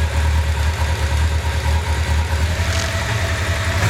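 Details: 1995 Honda CB750 Nighthawk at idle: lumpy, uneven stumbling exhaust beat, running on three cylinders with cylinder #4 dead from a clogged carburetor jet; single-cylinder misfire.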